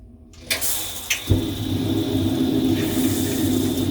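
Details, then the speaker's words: Tabodd 32 kW portable outdoor gas water heater tested after it banged with flames from its side: two igniter clicks, a soft whoomp as the gas lights, then a smooth, steady roar; normal burner ignition and running. "So it's sparking right away and you see it trying to light up. So all being well now, put the gas on, so it should boot up."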